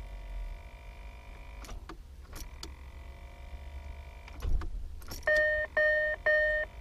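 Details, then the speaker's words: Land Rover Discovery TD5 diesel, key turned: sharp clicks with no cranking; starter motor solenoid contacts, known to wear out, are suspected; fix is replacing the solenoid contacts. "we're getting is a click now what we know is that these starter motors are very very susceptible to the solenoid contacts wearing out"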